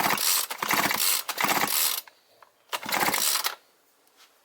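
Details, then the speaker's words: Brushcutter or chainsaw two-stroke, after replacing the crankcase gasket (old rings kept), reassembled and hand-cranked: firm rapid compression pops, the sound of intact crankshaft seals and gasket. "Такі хлопки мають бути при правильній роботі сальників та прокладки. Якщо прокладка ціла і сальники не пропускають, отакий звук має бути."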